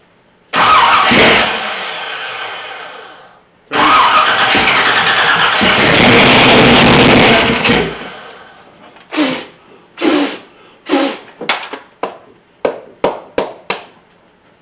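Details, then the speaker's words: Newly installed 500+ HP 383 in a 1985 K3500 squarebody, first start: cranks, catches roughly and surges, then a string of sharp pops dies away; ignition timing out, causing backfires. "okay the timing was out a little bit we got it to kick off without backfiring so uh now we're gonna try again"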